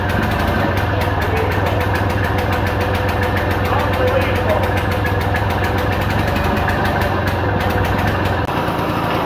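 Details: 1940s Simar two-wheel rotary tiller, single-cylinder engine started after carb priming: slow, loping uneven chug that then stalls because idle speed is set too low.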